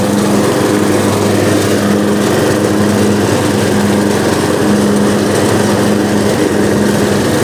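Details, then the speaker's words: Riding lawnmower that sat outside all winter on stale gas, battery kept indoors: started right up, steady even running with a smooth buzzing note, no misses or surging; running fine. "wow i can't complain about that fellas that thing started up after sitting all winter"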